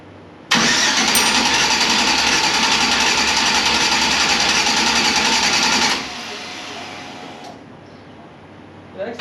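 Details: Engine being started: even starter cranking about three and a half turns a second for five seconds, never catches; cause suspected, not confirmed.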